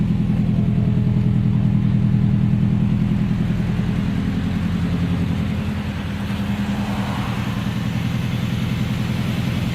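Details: Subaru EJ20K engine running with a regular knock of about three and a half beats per second over a low rumble; engine knock, cause unknown.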